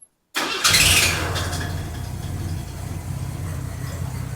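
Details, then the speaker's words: 1982 Chevy S-10 with freshly rebuilt 2.8 engine, started after tune-up work: cranks, catches and settles into a slightly uneven idle, sounding better than before, with a puffing tick from underneath, an exhaust leak heard near the catalytic converter. "So we also have some exhaust leaks. I can hear it down by the catalytic converter."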